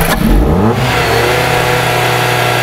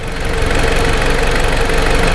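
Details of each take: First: 2010 Jeep Patriot that went shop to shop and dealer, stalling after start even with new coils on cylinders 1 and 4: starts and climbs under revs, holds briefly, then sags and stumbles toward a stall; ignition coil noise disturbing crank sensor signal. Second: 2010 Jeep Patriot with a hard-to-find intermittent crank-signal problem, after cleaning all grounds; steady, even idle rumble with a smooth rhythm and no misses, stumbles or knocks; normal idle.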